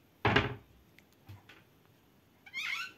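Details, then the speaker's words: Kitchen door creaking on a dry hinge before lubrication with shaving foam: a thud, then a short, high wavering squeak as it swings. "die knarrt, sehen Sie , diese Küchentür knarrt, und jetzt wissen Sie alle sehr gut, dass wir normalerweise Butter und Margarine verwenden, um so etwas zu lösen"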